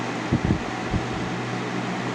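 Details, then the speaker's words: 2000–01 GE box fan model 106620 with chipped blades on medium speed: smooth even airy rush with low steady motor hum, no rattles or wobble; normal running. "Medium. This is how medium should sound,"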